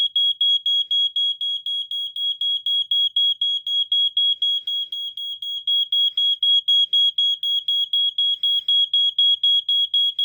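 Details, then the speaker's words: 1987 Wake and Warn 2 smoke detector, the better-preserved unit, on an Energizer battery: a loud, shrill beep repeating fast and evenly without fading that stays on. It sounds normally. "okay you can see it going off here there it is okay it stays on"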